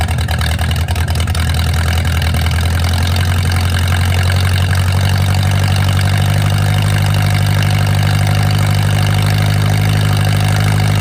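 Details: Mercruiser 470 3.7L marine engine, first run in 16 years after fuel reached the carburetor; deep steady low drone, even firing, no knocks or misses, smooth idle. Automatic choke not working properly, owner suspects his wiring. Normal idle.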